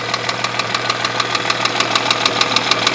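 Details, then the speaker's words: Rover 75 with 20K4F engine: heavy valve knock, sharp light metallic ticks about three per second over idle from the rear head. Two metal fragments were later found in cylinder five, apparently left from an earlier camshaft job; one was caught between valve and seat. "Не-не-не, клапана хуярят. Не знаю, я не знаю какой цилиндр, но клапана хуярят."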